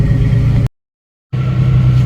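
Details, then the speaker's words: 1990 Jeep YJ 4.2L inline-six, 5-speed, after clutch bleeding and a new starter relay and ignition switch: deep steady idle rumble with one short dropout, otherwise even; starts and runs normally. "I don't think there's a whole lot to unbolt, but all right, so yeah, now it seems to start and run like it's supposed to."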